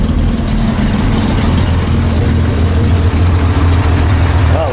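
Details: Corvair air-cooled flat-six after a cold valve adjustment (one valve clacked on a test drive): low, steady, even idle with no valvetrain clacking. Normal idle, though idle speed still needs readjusting.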